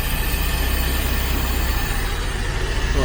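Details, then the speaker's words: 1992 Daimler Double Six Jaguar V12, first start after cam cover gasket work and major service, not yet warmed: smooth low even idle, no misfire, oil pressure up, idle slightly low being adjusted up. "idle is still a little bit on the low side so let me see if i can adjust that up and well it's going up a little bit now"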